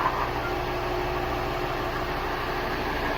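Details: VR6 Audi TT drag car engine idling after belt tracking, a little quieter once a rattling part was removed; steady, even idle with a smooth low pulse and no rattle or knock, normal.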